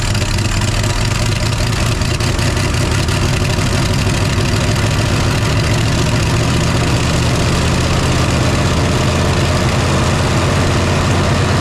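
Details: 1968 Chevy C10 small-block V8, previously seized and sitting since 1996, first start with starting spray: deep steady idle, even low rumble, no misses or knocks, smoke from exhaust; normal idle.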